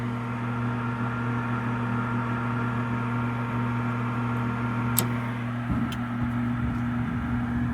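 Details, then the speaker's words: 2009 Trane gas furnace, no-heat call, after water was cleared from the pressure switch: steady inducer hum, sharp clicks, then a soft whoosh as the burners light and run smoothly, a normal ignition. "I might have heard it click sure did wonder if we're going to get any power to our igniter we sure [Music]"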